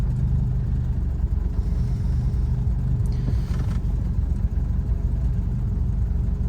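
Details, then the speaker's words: Lotus Elan restomod, warm idle after carb adjustment and a test drive. A low rumbling idle that hunts and stumbles; it was smooth at first but is now inconsistent, and the cause of the idle problem is not yet found. "see it's it was really smooth when i got in the car now it's not [Music] it's just not consistent there's definitely a problem idle"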